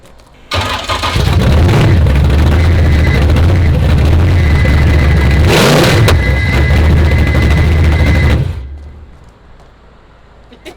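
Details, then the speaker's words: 900 hp supercharged C10 farm truck engine, no mufflers or exhaust fitted: very loud, raw, deep lumpy rumble with a sharp crack from open headers; it needs mufflers and a full exhaust. "Jesus yeah it's it needs mufflers and an exhaust and everything else"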